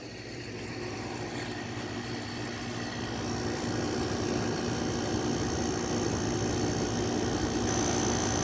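Steady, even hum of a window air conditioner running smoothly, with no knocks, rattles or squeals.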